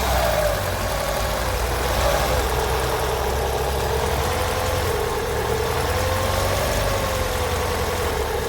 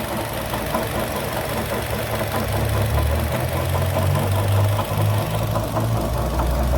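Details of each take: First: 2012 Chevrolet Sonic idling evenly with a steady low hum and no knock; noise stops with the poly belt removed and returns when refitted, pointing to the belt-driven water pump. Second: 2012 Chevrolet Sonic petrol engine idling and revving with a loose, irregular knock, two to three a second, traced by stethoscope and belt removal apparently to the water pump bearing, which needs replacing.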